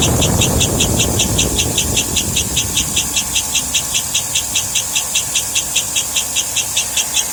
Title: Chirping noise on 2007 Escalade. It speeds up as engine revs. Removed all belts and is still present